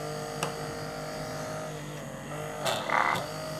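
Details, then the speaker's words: Old nebulizer compressor pump repurposed as an aquarium air pump, run on a 5 V adapter: steady, even buzzing hum at constant pitch, no knocks or rattles, sucking air in one side and blowing out the other; running normally. "I can tell that this is sucking air from this side and this is throwing you in this direction"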